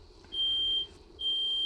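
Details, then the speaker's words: 1988 Dodge B250 Roadtrek van, 318 TBI V8, after fuel injector and temperature sensor replacement: two long shrill beeps as the garage smoke alarm is set off by exhaust on first start. "fuel pump fuse back in smoke alarm going off in the garage not on fire i got the exhaust i'm outside the garage with the doors open smoke detectors obviously work"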